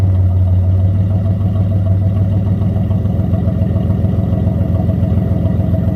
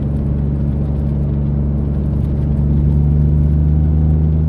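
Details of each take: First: Mitsubishi 3000GT SOHC with gutted catalytic converters, some exhaust fasteners snapped and a thicker gasket fitted: loud deep steady exhaust drone with rapid even pulse; owner suspects slight exhaust leak or just gutted-cat noise, unclear. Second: Mitsubishi 3000GT SOHC with gutted catalytic converters, about 3,200 rpm in third gear, after earlier falling flat at 4,500-5,000 rpm; deep steady engine drone under load pulls cleanly, no misfire or stumble; response much better.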